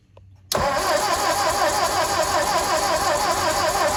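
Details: Ford 961 Powermaster tractor after ignition system repairs and spark plug wires reconnected: sharp catch, then a steady even beat of about three firings a second with no miss or knock. Normal running.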